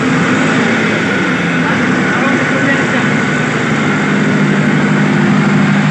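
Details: Cummins 50 kVA diesel generator after wiring repair, new AS440 AVR, actuator coil and MPU sensor replacement and speed-control adjustment for unstable idle: loud, steady diesel drone, even note, no knocks or surging; running smoothly.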